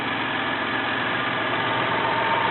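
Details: 1993 Toyota Camry, 206k miles, automatic, idling: steady, even quiet hum with no knocks, ticks or misses; runs smooth.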